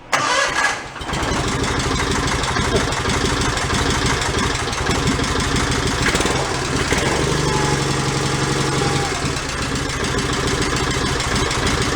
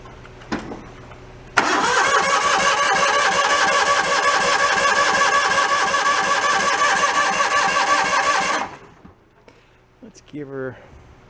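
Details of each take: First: John Deere 318 garden tractor running off a clean fuel can to purge contaminated fuel, no choke: catches after a brief crank and settles into a steady, even idle with no misses or stumbles. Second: John Deere 318 garden tractor, broke down and hard starting: starter churns steadily about seven seconds, never catches or fires; no-start caused by water in the fuel and a dirty carburettor.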